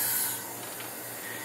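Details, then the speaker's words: Demolition derby engine leak-down test, cylinder at top dead center, valves closed: soft steady airy hiss heard at the exhaust; air slipping past the exhaust valve, ring blow-by also present. "and I do have bit past the exhaust they said on carcraft not to worry till you get up to about 30 30% loss"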